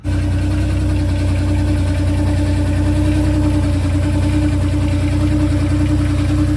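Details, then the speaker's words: Mustang on blocks, engine starting and idling fine but no drive or reverse: constant droning hum over the low rumble; torque converter suspected failed, and it blew apart completely. "so now when I get the motor running which it still starts up great I stick it and drive no bueno I stick it in reverse also no bueno I suspect a bad torque converter"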